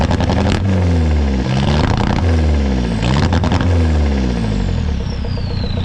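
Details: VW MK4 Jetta TDI (ALH) with replacement engine and factory turbo, injection quantity about 5.2 aiming for 4.5: clean rising and falling revs with smooth turbo whistle on each blip, no knocks; normal turbo diesel revving.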